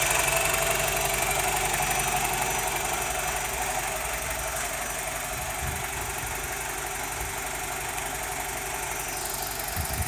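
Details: BMW E87 120i petrol engine idling with a steady, busy diesel-like rattle of unknown origin; owner cannot find where the rattle comes from.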